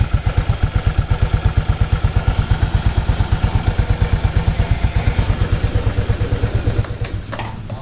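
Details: Motorcycle engine idling during an oil check, oil over 5,000 km old: steady, even putter about three beats a second, no knocks or rattles on top; smooth normal idle.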